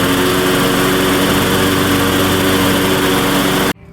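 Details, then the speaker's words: Craftsman LT1500 riding mower jump-started with a dead battery (engine doesn't smoke, not locked up, valves need adjusting): steady fast buzzing idle with no hunting sounds set too high; governor nut looks previously turned, so governor adjustment is suspected. "all right so the idle sounds a little high to me"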